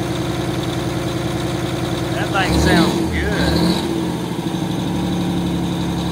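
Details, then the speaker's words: 1989 Grand Villa with two-stroke Detroit diesel, just started, one battery dead, starting to charge: steady diesel drone with brief rev settling to even idle, runs strong; not loud inside; normal running. "I think it's really not that loud in here with it running up fire"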